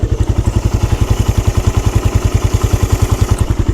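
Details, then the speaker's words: 2013 Suzuki Satria F motorcycle with about 63,000-64,000 km at idle: even, smooth thumping about 200 beats a minute with no ticking or rattle from the left-side cam chain; healthy engine. "langsung aja kita Check sound Ya dan ini suaranya kayak gini guys masih halus dan"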